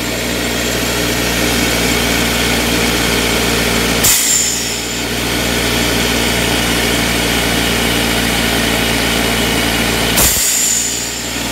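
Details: Secondhand air compressor found to work: fast, steady motor-and-pump chatter with two brief dips in the run, compressing air. Owner suspects a possible issue with the shut-off mechanism.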